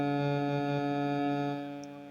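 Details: Okean 214 radio fitted with a Chinese FM/Bluetooth/AUX/USB module: steady low hum under the music when the module's plus is taken from the power-button output. Known background-noise problem with these modules.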